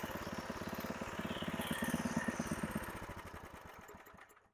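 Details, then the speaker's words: Craftsman 5 HP tiller with a Briggs & Stratton horizontal-shaft engine, running with its air cleaner off after carburettor work to cure pulsing: the single chugs at an even beat with no surging, then winds down; pulsing gone. "well as you can see we don't have any pulsing now and uh I'll get the air cleaner and everything back on here"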